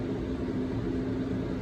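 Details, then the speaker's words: MaxxAir roof fan in a 2018 Ford Transit camper van after circuit board replacement and a DC-DC converter added: smooth, constant low hum, no beeping or shutdown when reversed (the earlier fault). Fan running normally. "But it seems to be working well. We like to have this one blow in, so I'm going to reverse it back to the direction. Yeah, seems to be working good."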